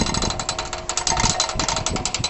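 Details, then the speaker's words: 2012 CraftLander NuCraft 6000 hoist during assembly, with the wheel cranked clockwise to wind the cable on: quick, steady metallic clicks of the pawl riding the ratchet teeth. Normal operation. "basically turn the wheel clockwise you can hear that clicking going on here"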